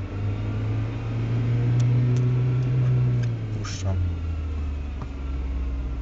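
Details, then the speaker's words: Audi 80 B4 2.0 90 hp, damaged CGT gearbox: no noise in first, but in second gear a low droning hum holds under acceleration and drops as throttle eases; gearbox whine, also humming and knocking in 3rd–5th, cause unknown. "pierwszy bieg przyspieszam nie słychać uczenia drugi bieg już zaczyna słychać"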